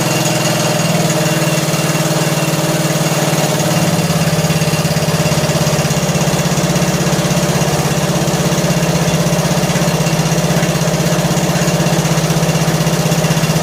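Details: John Deere L100 lawn tractor single-cylinder engine, long sat, just started and warming: rough idle with light quick tick over the thump, quieting slightly as it warms and mostly gone when revved; loose valve lash, valves need adjusting.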